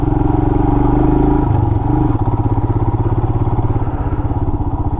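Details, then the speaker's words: 2020 Royal Enfield Himalayan single-cylinder, ridden off road, mic inside the helmet; steady low-rev thump with a light tick the owner doesn't normally hear; after an oil change, owner suspects valve clearance, unconfirmed; engine ticking. "I feel like I'm hearing a ticking that I don't normally hear."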